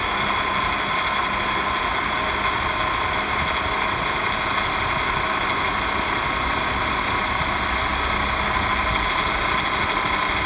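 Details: 2015 Audi S5 at idle: even hum with a thin steady whine and light rattly edge on top; whining/rattling cause unexplained.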